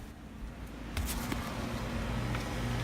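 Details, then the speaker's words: Home AC condenser after replacing capacitor and contactor (previously wouldn't start, blew control-board fuse, blew warm air): kicks on about a second in and settles into a steady low hum, no buzzing or stalling; normal condenser operation, fixed. "the condenser is fine there you go"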